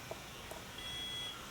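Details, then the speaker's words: Promatic RTM1 receiver, new style, in quiet room: short high chirps and sustained tone confirming it accepted programming from a wireless controller. "it's going to beat back that tells you it took the programming"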